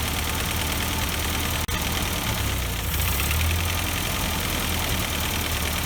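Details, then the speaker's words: Ford 8N tractor, partially restored, after tapping free a stuck-open number four exhaust valve; four-cylinder idle with an even low chug and a brief early cutout, then runs smoothly with no miss. "and maybe it'll loosen up there and we'll have compression then so that's what the problem is there that sounds better for a long time"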